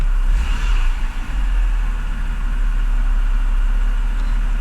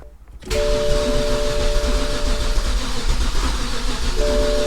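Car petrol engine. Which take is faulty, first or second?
second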